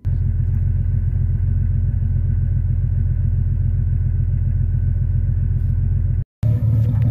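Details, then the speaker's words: Year 2000–2001 Jeep Cherokee XJ 4.0L inline-six idling a few minutes after new copper spark plugs gapped 0.035 inch while the computer relearns; deep smooth even beat about three to four pulses a second, no misfire, healthy. "all right it's been a few minutes engines running good"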